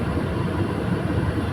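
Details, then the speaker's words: Maruti Suzuki Alto K10 AC blower, with the complaint of noise only on top speed, run through speeds one to four: a steady low whooshing hum with no rattle or vibration, just motor and airflow, so the blower is normal; the motor is dusty. "ഇപ്പോൾ യാതൊരുവിധ സൗണ്ടോ കാര്യങ്ങളോ ഒന്നും ഇവിടുന്ന് കേൾക്കുന്നില്ല ആ മോട്ടോറിന്റെ sound മാത്രം"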